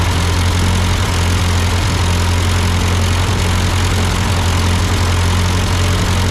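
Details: Ford 8N tractor idling after an amateur carburetor adjustment. Uphill sputtering had been traced to a cheap Chinese replacement carb; an old Marvel-Schebler ran fine. Steady, even low chug with no misses or knocks; a clean, normal idle.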